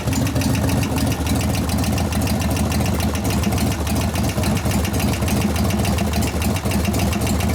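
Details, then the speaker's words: 1988 Harley FXR V-twin, hot, at idle: irregular light ticking knocks, about three to four a second, grow louder over the lumpy idle. Hydraulic lifter knock. "right now I can hear the knock getting louder which one is it"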